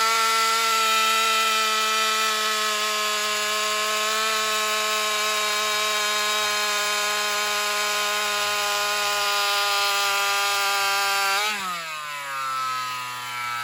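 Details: Alcohol-fuelled chainsaw in a test cut after a fuel line swap, previously starving for fuel in longer cuts. A high steady scream for about eleven seconds, then the pitch sags sharply as revs fall under load, bogging; owner concludes fuel starvation and plans a bigger fuel line or metering lever adjustment.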